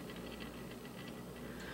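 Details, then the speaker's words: Old Newcomb classroom phonograph motor in dried-out rubber mounting bushings: low steady hum with fast, uneven ticking and rough patter from worn motor bearings. "Motor sounds okay. No, it's got bearing issues. Hear that?"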